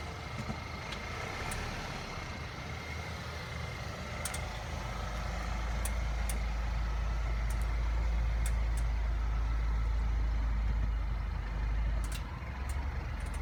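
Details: Truck: sharp, light clicks over a steady low engine rumble; clicking noise, cause not identified.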